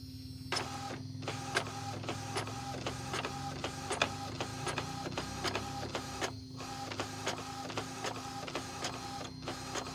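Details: Epson L565 printer after the fix for grinding noise and double-line printing: the carriage sweeps back and forth at a steady pace with light, even clicks and no grinding. The printer runs normally.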